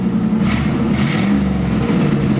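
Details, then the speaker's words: 1986 Camaro IROC-Z V8 after tack-welding its broken exhaust pipe at the Y-pipe fork, revving at a standstill: loud and raspy with a hissy puffing; some exhaust leak remains but sounds much better. "so yeah you can hear a bit of the exhaust leak a lot but it's it's coming along sounds much better"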